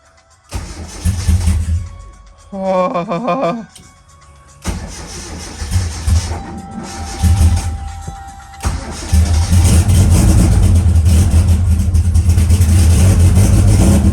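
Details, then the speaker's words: Engine on E85, just converted from solid to new hydraulic lifters, first crank and start. Cranks, catches, then a loud uneven idle limping like a dead cylinder. Owner suspects no oil yet in two lifters; compression test planned. "all right well if you heard it cranking it sounds like it's down a cylinder which either is there's no oil in maybe two of those lifters"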